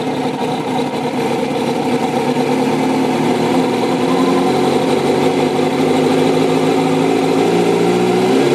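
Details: 2005 Kawasaki ZX-6R 636cc track bike, 7,219 miles, Muzzy full exhaust and Power Commander, is cold-started in neutral with exhaust at 54.5 degrees; it settles into a smooth, even four-cylinder idle that firms up as it warms, no knocks or misses.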